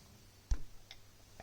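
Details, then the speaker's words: Grundfos UPS2 central heating circulator pump in a house heating system: a few sharp isolated clicks with no motor hum following, sticking and clicking for about 10 minutes without starting; owner suspects a failed starting capacitor in the electronics, not confirmed. "so 10 minutes it just goes click click click now the way these pumps work is virus starting capacitor so technically what might be wrong is that the electronics here"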